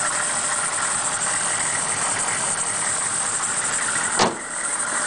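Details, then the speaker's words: 1998 GMC school bus with the 6.5 GM diesel, 209,000 on the odometer: a steady, even diesel clatter at idle with no knocks, misses or hunting. The engine sounds healthy and starts right up. "It runs great, has a lot of new parts on it, has 209,000, starts right up. Let's listen to the motor real quick. Got the 6.5 GM diesel."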